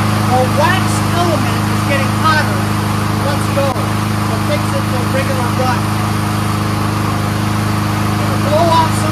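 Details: Troy-Bilt 21-inch front self-propelled mower with Honda engine, after adjusting the brake cable, warming up: steady, even hum with no misses or surging; runs really smooth on full choke and full run, carburetor clean, normal.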